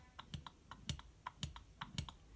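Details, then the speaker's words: Failed IHI VF23 turbo, checked by hand off the car beside its hybrid replacement: crisp light clicks, about five a second, as the shaft is rocked in and out, a teeny bit of axial play; no other failure cause seen. "There's a teeny bit of in-out shaft play, which you can't get."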